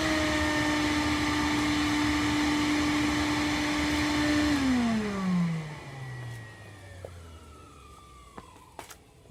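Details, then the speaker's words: Wet and dry industrial dust extractor in for repair, new wrong-size filter, modified 38mm hose; powerful smooth high motor whine, then clean pitch drop as it winds down like a pneumatic: normal running. "Now, this is actually quite a powerful machine. It sounds quite nice as well. I'm sure James will like the sound of this one. It sounds like an older pneumatic kind of thing."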